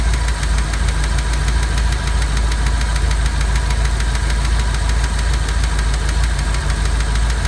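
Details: Ford 5.0 302 V8 that overheated on the turnpike the previous day, started after cooling overnight: steady idle with a sharp, even tick about three times a second, apparently from under the driver side valve cover; noise went away once warm but ran slightly rough.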